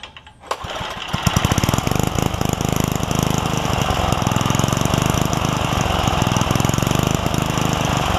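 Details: Craftsman 3 hp Tecumseh edger after fitting a snowblower carburetor with swapped jet and new fuel line: starts, then steady, even rapid putter about three to four beats a second, no surging; healthy running.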